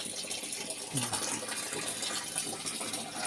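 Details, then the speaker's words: LG top-load inverter washing machine (12 V supply) after a part was replaced to fix very weak water filling: a strong, continuous rush of water with no sputter or drop-off. The tub is filling at full flow. "na nay malakas na ka tubig ayan o kita niyo m 'di ba"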